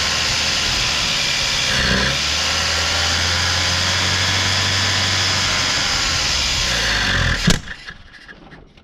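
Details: 1987 Mitsubishi Sigma 2.6L Astron, manual, revived after about 20 years unused: runs with a wavering, uneven beat for several seconds, then dies abruptly. Rough running, won't idle; the carb seems unhappy, cause not pinned down.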